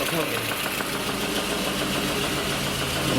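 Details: VAZ Lada Kalina (Bosch M797 Euro 2 ECU), warm engine at 92 °C idling with a busy, rattly clatter and fast ticking; suspected weak fuel pump or clogged filter, source not pinned down.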